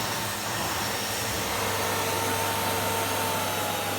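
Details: Year-2000 Miele Revolution 700 vacuum on carpet at a lower power setting: constant rushing suction with a smooth motor note and no rattle or squeal. It is vacuuming normally, though the owner notes slight bearing whine.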